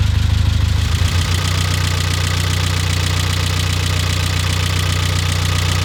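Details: Mitsubishi Eclipse GS-T 4G63 after a head gasket replacement, following an earlier rough idle caused by the forgotten brake booster vacuum line: holds an even, steady idle with only a light tick, and the ticking sounds better.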